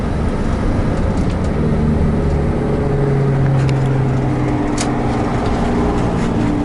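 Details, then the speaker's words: 1994 Toyota Coaster bus, 1HZ diesel, five-speed, 322 km on clock, while driving: steady deep diesel drone thickening into a held low hum as it coasts with the exhaust brake closing off the exhaust; exhaust brake working normally. "it also has the exhaust brake as well which I'll demonstrate that basically means when you take your foot off the brake the car will slow itself down by closing off the exhaust"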